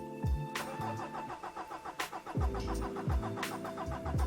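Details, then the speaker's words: Mitsubishi Triton diesel, hard-start/no-start: slow, labored cranking with compression pulses about every half second and no catch; battery sagging to nine-ten volts, fuel rail pressure stays at zero against 44 MPa target; slow cranking from low battery voltage. "let's just crank it and see what it does nine volts ten volts it's struggling what's the go there fuel pressure not coming up"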